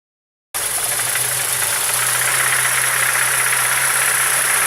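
Sharp, regular knocking about four times a second over a steady idle; a clear knock inside the engine, cause not pinned down.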